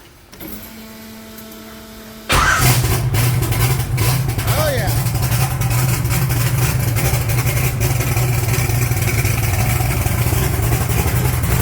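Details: 1980 Trans Am with an 80mm turbo, started after its Aeromotive fuel pump was refitted following return from the maker: brief cranking, then it catches at once and settles into a strong, even idle with no stumbling; starts and runs properly.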